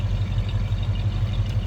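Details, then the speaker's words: 1966 Ford Mustang convertible, 289 V8 with GT-style exhaust, just after cold start: deep even burble, steady low pulse about six times a second, mild rumble; healthy idle. "Nothing crazy as far as the exhaust goes. Door closes nicely. Just nice sounding 289."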